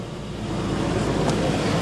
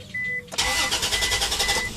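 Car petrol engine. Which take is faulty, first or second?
second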